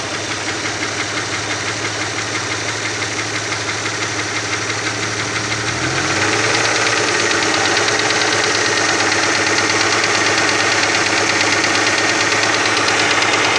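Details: Opel Omega B engine at idle: steady light ticking knock about three per second over an even idle, from the exhaust camshaft on the second cylinder head.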